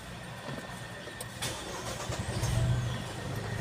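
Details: 2021 Geely Coolray petrol engine after spark plug replacement fixing cylinder 1 and 3 misfire (blinking check engine light, stalling) and codes cleared: normal start settling into a steady, even low idle with no stumble.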